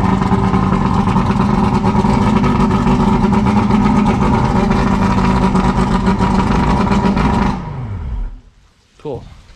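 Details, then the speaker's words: Yamaha 150 TXRC V6 two-stroke outboard after rebuilding all three carburetors, morning run on fresh fuel, choke off: smooth, even two-stroke beat with no misses or stumbles, then winds down and stops; carburetors running clean. "we got out here this morning early just to make sure it starts up first thing in the morning no problems no ether no nothing like that it worked fantastic"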